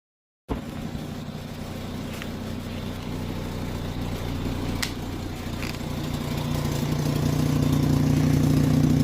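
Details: Volkswagen Rabbit petrol engine idling with a deep, uneven rumble and soft rhythmic puffing from an exhaust leak.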